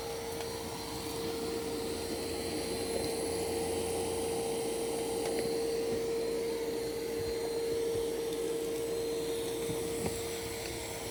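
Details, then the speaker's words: New iRobot Roomba Plus 515 vacuum-mop combo cleaning a floor of kitty litter, perimeter then straight lines: steady mid-pitched motor whine with soft brushing, even and unbroken; normal cleaning. "So it does the perimeter of the room first, and then it's going to go back and forth in nice straight lines."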